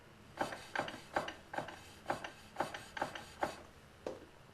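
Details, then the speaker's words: BMW K75 motorcycle after spline lube with Honda Moly 60 grease on splines and final drive: rear wheel turning with soft regular ticks and light brake rubbing, much quieter, no hard metallic clanking from driveshaft or final drive. "it's a lot quieter it's not this hard metallic clanking sound"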